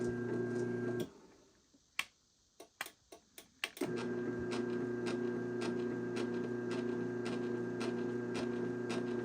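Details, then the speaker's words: Used LiftMaster 3585S Elite Series garage door opener, all original, running off the rail with a 398LM panel; steady motor hum with a light, fairly regular tick about three per second; mild sprocket noise from the drive sprocket. "As you can hear, it's got a little bit of a sprocket noise, and you probably heard the knocking last night."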